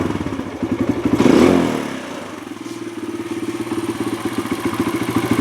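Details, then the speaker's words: Kawasaki KLX140 single-cylinder, worsening as it warms: blipped, revs sag slowly and hang above idle, with a rich-sounding sputter; hanging idle, owner suspects lean running or an air leak and checks jetting first. "it has a little bit of a hanging idle yeah pull the clutch in so it starts up pretty well and as it warms up the hanging idle kind of gets worse"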